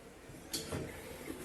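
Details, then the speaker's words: Washer basket turned by hand after maintenance and cleaning: moves easily and quietly with a couple of soft bumps, no longer making the annoying rubbing noise against the brake. "la canasta se mueve con facilidad ya no produce ese molesto ruido al rozar con el freno"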